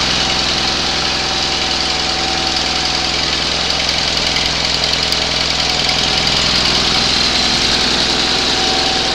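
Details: 20 HP Onan engine running for the first time after a rebuild, started on the second attempt after a spark check; steady, even run with a brisk regular beat, no misses or knocks. Normal running.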